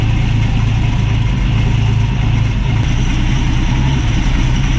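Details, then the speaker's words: 1965 Ford Mustang straight-six with Autolite 1100 carburetor, choke disengaged, base screw settings, timing six degrees BTDC before advancing; steady, even low idle rumble with no misses, knocks or hunting; runs great after carburetor idle screw fix, healthy. "see how it runs uh the thing ran great got my timing set"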